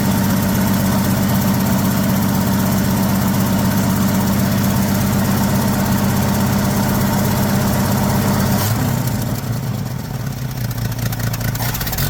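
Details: 1979 Ford F150 shortbed 4x4, 300 straight six with new carburetor, started after sitting 4 years: steady lumpy idle with a regular puffing tick about four a second; owner says it clearly has an exhaust leak somewhere.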